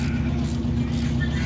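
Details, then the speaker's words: Honda CB7 engine being swapped out: running with a low rumble and a faint repetitive knock underneath; engine considered done. "Another knock. What? You hear that knocking?"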